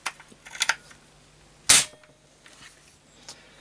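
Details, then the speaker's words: Setra pump-up air rifle after repair and reassembly with silicon-greased pump seal and O-rings; several quick pump strokes then one sharp crack firing cleanly, no retained pressure; normal pump and fire cycle, problem cured. "that sounds really good and it's working excellently and not keeping any pressure inside so I think I've cured the problem"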